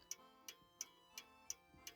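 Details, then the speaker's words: French antique table clock being set in beat by listening through a funnel while shifting its position. Crisp, evenly spaced ticks about three per second with matching tick and tock; now running in beat. "these movements stick softly so I use a funnel to hear it better this doesn't sound good this is better and wrong again yes this sounds good"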